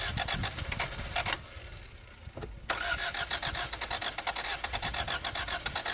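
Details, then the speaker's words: 1987 Toyota Corolla FX 1.6L, stored since 1999, cranked with an electric pump feeding a primed mechanical pump after suspected water in the carb. Steady starter churn with pauses and no catch: crank, no start; an electronic fault is suspected. "Well, we can't get this thing to run, and I'm not going to bore you with this"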